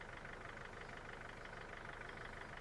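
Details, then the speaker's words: Mercedes Sprinter diesel van first start after five years parked, cranked to draw fuel from the tank: steady, even diesel clatter at idle with no misses or odd knocks; normal idle. "that's not really bad after five years and that's pretty reasonable you listen to that"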